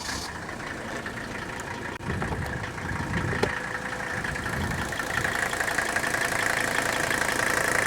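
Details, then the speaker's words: 1983 Mercedes diesel at idle: light, steady, even clatter with no heavy knock, the normal sound of a healthy old Mercedes diesel. "that little clattering noise is what you will recognize is so unique i know some people have said oh i pull into this service station and some guy comes up and says hey i think there's something wrong with your engine's got a rod"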